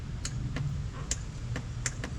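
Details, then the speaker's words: CF800 starter solenoid clicking sharply about twice a second with key off after water exposure; with key on, start button does nothing while driving lights stayed on with key off; faulty starter solenoid, replacing it fixed the problem. "ese click Ahí está activando el selenoide del starter con la llave en off"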